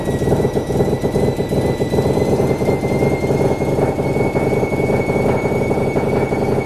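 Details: Mazda FD RX7 RS Series 8 bridgeport rotary with Hypergear T51R single-turbo conversion, first start, untuned, open dump with no muffler: very loud, raspy, choppy idle with faint turbo whistle; blatty rasp fits exhaust escaping at an unseated turbo V-band clamp.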